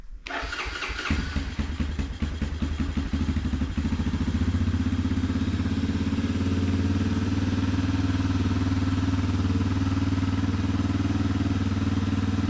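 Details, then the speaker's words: 1987 Four Trax ATV that sat 3–4 months into winter: cranks, catches on starting spray, then a steady, slightly uneven idle; no-start is fuel related, with up-and-down idle earlier in summer. "ah it's fuel related so like I said during the summer back when I was using it had issues with the idle kind of going up and down"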